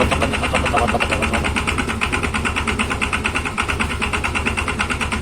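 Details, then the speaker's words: Yamaha Xeon scooter idling just after a one-way starter clutch replacement: a rough, rapid rattle from the CVT area, about three clatters a second. The cause is suspected to be a missing or incorrectly fitted part. "Namun, yang terjadi setelah mengganti kopling satu arah adalah mesin menjadi berisik. Bunyinya menjadi agak berisik, menimbulkan suara bising di area CVT."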